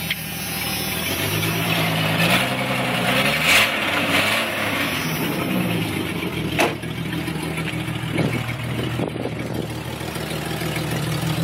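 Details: 1996 Jeep Cherokee Sport 4.0 with a raspy, loud idle, puffing uneven edge and a brief rev; bought with a slight leak that worsened over 6 months until the exhaust broke at the Y-pipe, plus a misfire.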